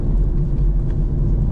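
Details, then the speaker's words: Peugeot DV6 diesel on test drive after EGR fault repair: deep steady droning, winding hum under road noise, swelling with speed, from driver-side front; very noisy wheel bearing. "this car has got a very very very noisy wheel bearing it's coming from the driver side front"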